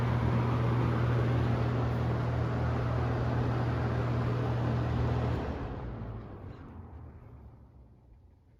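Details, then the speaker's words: Galaxy 6708 fan after hot-gluing the grilles; steady low motor hum and even airy rush, then cut off and smooth fade as it spins down (owner calls spin-down a little choppy); shaft needs thrust washers, rear bearing oil keeps disappearing; normal running. "this is my first run with the hot glue on the grills so let's see what it sounds like no more noise"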